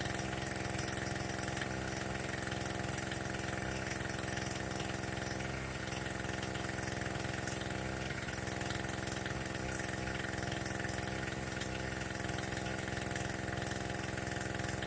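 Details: Small two-stroke generator, similar to the Harbor Freight Tailgator, after repairing a fuel-leaking carburetor by polishing it; started on choke, now runs with a steady, even buzz at constant speed, no misfires, surging or knocks: normal running.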